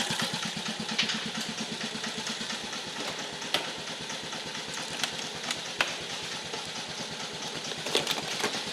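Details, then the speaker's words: 1950 REO engine, freshly revived, carburetor adjusted down to a very low idle (these reportedly idle real low): slow, even chuffing roughly six beats a second, no misses or knocks; idles low and steadily, normal. "I heard these things will idle real low. That's pretty low."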